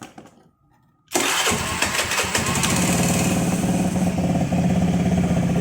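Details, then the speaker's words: Single-cylinder motorcycle converted from petrol to LPG without changing the carburetor, regulator set to 3 PSI: quiet, then the starter catches and it settles into a steady, even idle putter, starting and running cleanly. "3 PSI motor hidup kelihatannya hidup ya."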